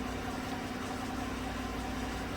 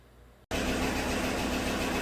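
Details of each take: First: 2016 Chevrolet Silverado Z71 4x4 with 5.3 V8, about 135,000 km, after replacing all right-bank lifters for a collapsed number 6 exhaust lifter that caused misfire and tick; smooth, even idle, steady low rumble, no ticking, warming up. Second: 2016 GM truck 5.3 V8 at idle with cylinder 6 misfires: loud busy idle with fast tick from the right bank, a collapsed number 6 exhaust lifter; all right-bank lifters replaced.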